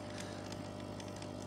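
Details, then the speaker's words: Hazer Unique 2 after air pump (error E-8) and vaporizer repair, switched off to cool and purge: small air pump blows the fluid hose clear so no liquid stands in it; faint steady smooth hum; normal air pump purge. "a už by je i slyšet to čerpadýlko že to tam fluše že to tam fluše a vhání tam vzduch"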